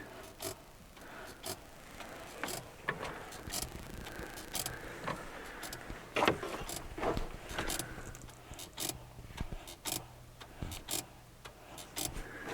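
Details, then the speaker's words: 2021 Renault Duster 2 at 10,000 km: short squeaks from the clutch release bearing each time the pedal is pressed, only after 15–50 km of driving, not when cold, vibration felt through pedal and clutch master cylinder; bearing replaced under warranty. "думаю что это он скрипит Да когда его трогаешь где он там когда его трогаешь этот главный цилиндр сцепления по нему прям идут вибрации"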